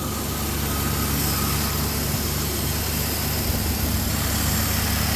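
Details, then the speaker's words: Small carbureted French car with automatic choke, running on fresh fuel: steady, quick, even idle with a light hiss, no misfire or hunting, sounding like a sewing machine; normal idle. "Sounds pretty good. Sounds like a sewing machine."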